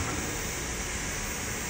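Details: Workbee CNC axis running at about 800 rpm after the lead-screw whip fix (added thrust bearing, collar and spacers to tension the axis): smooth, even whir with no rhythmic whipping or chatter, a properly tensioned lead screw.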